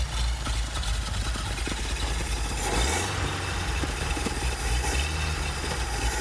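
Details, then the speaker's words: Cold Packard 356 nine-main-bearing straight-eight display engine, late-40s/early-50s, run without fan: low, uneven running that dips and recovers only while the throttle is kept worked; rough cold idle that won't hold steady. "And of course it's cold, so it's not going to want to run unless I keep playing with the throttle. I thought it would start up and purr like a Packard."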